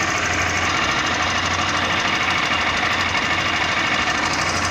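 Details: 2017 Honda Bros 160 ESDD with 7,757 on the odometer, engine running: a loose, uneven knocking rattle of about three beats a second from the rear shock, which the owner says gets louder in late afternoon and at night. Cause unknown.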